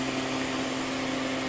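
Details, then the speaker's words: Altec Lansing 2200 Mainframe power amplifier, channel with mismatched transistors: steady constant hiss and faint hum with no signal; owner suspects the mismatched transistors, unconfirmed. "here the hiss is constant and when you turn on the frequency any any sort of frequency if you really fatigues and it's not a full signal"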